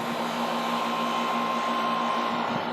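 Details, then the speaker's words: Outdoor air conditioner condenser after quieting fixes, top reinstalled, cooling switched on (baseline about 73 dB): even, steady fan and compressor hum; the earlier rattle and suspected compressor buzz are gone; running normally. "I definitely notice a sound difference. I can't for sure say if it's quieter, but I don't hear the rattling that I heard before, and there was a buzzing sound that I always heard from the, I'm assuming, compressor that I'm not hearing anymore either."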